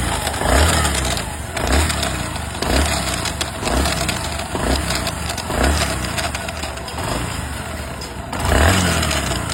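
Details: Bajaj Platina ES single-cylinder motorcycle revved up and down while standing: a rattly mechanical noise rides on each rev, appearing after running a while; mechanic suspects the self-start (starter) gear, unconfirmed.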